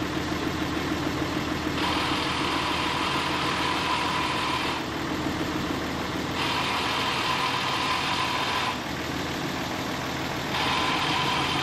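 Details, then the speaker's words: 2010 Dodge Cummins diesel with G56 transmission, newly installed Valair dual disc clutch, clutch pedal released in neutral: steady idle with a light, intermittent metallic rattle; normal dual-disc clutch chatter. "Because this is a dual disc clutch, so it is going to have some sound to it when you have the clutch pedal released, and the trucks in neutral."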